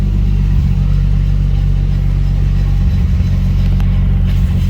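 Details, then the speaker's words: 1995 Nissan 240SX with stock non-VVTi 2JZ-GE swap and solid mounts, on jack stands, running in third gear, heard from underneath: steady deep drone with slow throbbing pulse; driveline vibration, owner suspects the driveshaft is wobbling. "Actually, to be quite honest with you, I think the drive shaft is a wobbling."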